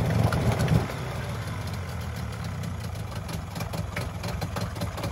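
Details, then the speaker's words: Mariner 30hp outboard with a cable tie wedged in to raise the revs (cable broken, idle screw unreachable): catches, then a steady, even low idle, running and pumping water; idle still a touch low, carb rebuild kit planned after long storage. "what we've done is just wedge that cable tie in there just to bring the revs up a little bit so that we can run it briefly and show you guys it's running and it's pumping water"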